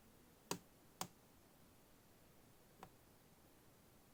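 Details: MacBook Air 2018, bought three months earlier: four sharp, dry pops at irregular moments as the lid is moved, in a quiet room; owner unsure whether it comes from the hinge, and it is quieter in reality.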